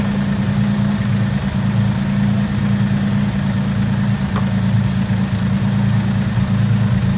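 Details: 1964 Oldsmobile F85 Cutlass, one-owner, 67,000 miles, running again after sitting 33 years, restarted after a bad hose and clogged metal fuel filter: a steady low rumble at idle with an even beat and no miss or knock, though it idles a little high. Muffler front is blown out.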